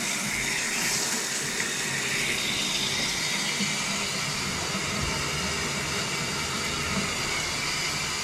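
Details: Shower (mainly shower, not tub) had squealed and sputtered from a washer lodged in the shower arm; here a steady, even hiss of running water with no squeal or sputter, the shower flowing normally.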